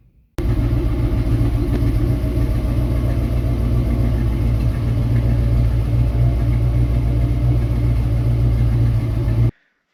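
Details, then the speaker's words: 1966 Mustang with a 90s Ford 302 roller motor swapped in for the dead 289, new exhaust: deep, steady, smooth V8 rumble with no knocks or misses. Healthy engine. "The 302 motor, tons of power, super smooth. The new exhaust on it sounds great."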